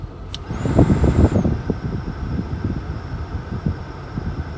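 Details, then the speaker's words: 2004 Toyota Camry after blower motor and blower resistor replacement, running on medium: fan spins up to a steady, smooth whirr with a constant high hum and no rattle or scrape; normal operation. "bam there we go blowing nice and strong turn it down off and we have all settings low medium"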